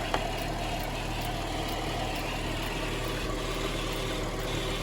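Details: 2010 GMC Acadia 3.6 V6 after replacing timing chains, sprockets and VVT actuators, new radiator fans: smooth, steady idle with no ticking or chain rattle, new high-pressure fuel pump audible; runs as it should.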